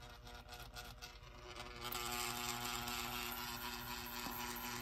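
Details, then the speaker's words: 1930s Continental electric clock, thin buzzy rattling whir with fine rapid chatter growing after spin-up; dry, dirty synchronous motor movement needing cleaning and lubrication. "there may be hope for this but that is one noisy and hopefully just taking it apart cleaning and lubricating it"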